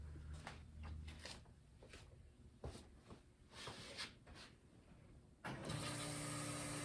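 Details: Turbo LS-swapped 1955 Buick, first start with new homemade 3-inch exhaust (Silverado tailpipe pieces, swap-meet Thrush muffler, slash-cut outlet): uneven cranking bursts, then catches and settles into steady, even idle with deep exhaust note; healthy.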